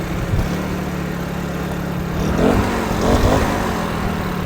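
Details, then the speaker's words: Troy-Bilt backpack blower worn on the back, started first pull: steady drone with mild rises as throttle is blipped, no misses, fine at part throttle. It won't yet take full throttle (air cleaner cover possibly loose) and later died when pushed. "Well, boys and girls, she started first pull, and it sounds good now that it's on my back."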